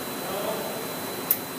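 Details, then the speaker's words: Electron MultiMIG 522 welder during factory reset, job button held 8-9 seconds: steady soft hiss of escaping air, then one sharp click; normal reset air release. "Do you hear the click with the air come out?"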